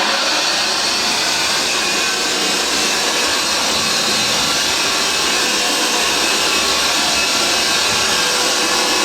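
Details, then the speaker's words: Vintage Hoover 612 upright vacuum after refurbishment, switch cleaned of fluff: smooth, even high-pitched whoosh with a steady motor note, no rattles or surging; motor with a purr, running healthy. "Have a look at that, but as you can hear, it is absolutely superb."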